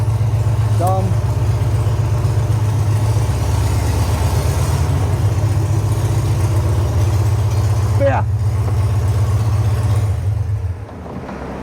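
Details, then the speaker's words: VW dune buggy engine after clutch job: steady, even low rumble at idle with no knocks or misses, holding smooth until shut off. Clutch and brakes working; engine sounds healthy. "The brakes work. Not that we touched them. Engine sounds healthy."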